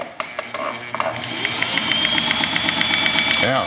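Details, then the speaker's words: Sewing machine after cleaning, lubricating the cam-like shaft and rotating points, and reassembly, run on the pedal: a few start-up clicks, then a smooth, steady whir with light even ticking and no heavy knock; runs normally. "oh okay sounds good let's try the pedal [Applause] oh that's beautiful sounding i had no idea how bad it was"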